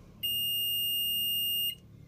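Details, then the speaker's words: Multimeter set to continuity mode before testing a fuel injector coil's continuity, probes touched together; one steady high-pitched beep of about a second and a half, so continuity mode works. "tocamos al tocar se debe de escuchar un sonido"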